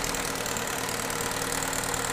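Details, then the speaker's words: GM four-cylinder just started and idling with P0011–P0014 cam timing codes, before intake cam phaser is forced to move with jumper leads; busy clattery top-end rattle, noisy idle, cause not yet pinned down. "Oh yeah, this thing is noisy. All right, so way number one is we can listen, right?"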